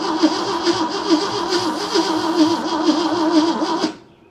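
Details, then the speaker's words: 1971 AMC Gremlin sitting since about 1984, on jump box with starting spray: steady, fairly quick cranking for seconds without catching; starter begins smoking, owner suspects weak spark; cause unknown. "Got the starter smoking. All right, let me let the starter cool off. Spark may just be weak."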